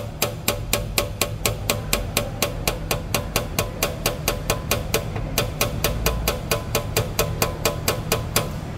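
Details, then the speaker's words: Chevrolet S10 2023 pickup, front-end noise reported by the customer: rapid, even metallic taps, about four a second, from the dented steel skid plate striking the chassis crossmember; plate to be removed, straightened and refitted. "o cliente fala que a min tá batendo ah isso aquilo outro não é só o PED aço amassado pegando aqui na Travessa do chassis ó lá ó lá bem aqui ó tá vendo"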